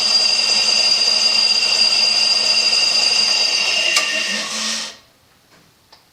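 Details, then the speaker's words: Older Craftsman air compressor, model 919.174311, after check valve replacement (previously never held air more than several hours): high steady motor and pump whine for about five seconds, then clean shutoff; runs normally, fixed. "of interesting sound I guess that's the check valve and moving through one seemed really Cano"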